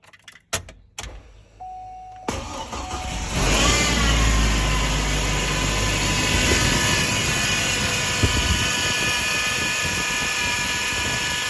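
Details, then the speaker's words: Hummer H3 power steering pump at cold start and idle: loud steady whine from the first second, grew gradually; new pump didn't fix it, cause was blocked filter inside power steering reservoir starving pump of oil. "it started with it started gradually uh with the noise the whining noise on the power steering pump eventually it got quite quite loud where even when you start up immediately the noise is there um"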